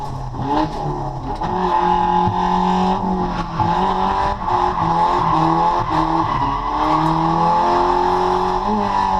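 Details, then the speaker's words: Tuned drift car (140 kW after dyno tune) on first track lap: hard revs with tyre noise but weak pull and a whooshing boost leak, because an intercooler pipe popped off; refitted in the pits with a new hose clamp. "And we all know that noise. That is a cooler pipe. Unfortunately, on our first lap out, we uh popped a cooler pipe off the car,"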